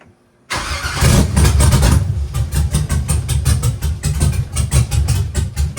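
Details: Abandoned Chevy truck found sitting for years in the woods, revived with LS swap and hot cam; after adding two degrees cranking timing and more timing overall, engine catches after a short crank and settles into a deep, fairly even idle with mild pulsing surge; healthy.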